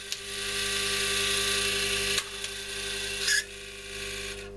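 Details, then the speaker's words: Telefunken Magnetophon 95 West German tape recorder running its transport: dry, rasping, rhythmic scrape over the motor hum from the drive underneath, probably because the fitted belt is a smaller one, not the original. Cause suspected, not confirmed. "Right, well there's something obviously not doing what it should there, and it's probably because this belt is not the one that came off it."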